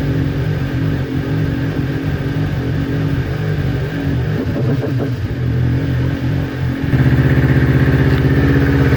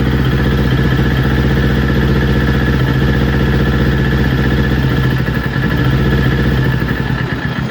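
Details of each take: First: Newly built Kawasaki Ninja twin that bogged and stalled when warm, after ignition coil pack replacement: steady, even idle, picking up slightly near the end, consistent past the usual warm-up problem temperature; both cylinders about 258 °C. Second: Newly built Kawasaki Ninja, before coil pack replacement: started perfectly cold, but idle pulses unevenly and bogs down as it warms, rev counter dropping untouched; faulty ignition coil suspected.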